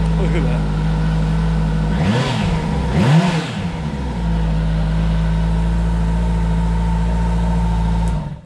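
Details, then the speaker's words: Wrecked 2011 Kawasaki ZG1400 police motorcycle, first start after rebuild and key-fob fix, in neutral: an even, steady idle with two quick throttle blips that rise and settle back cleanly. No leaks; the engine sounds healthy. "there's nothing leaking healthy so excited yes have no idea"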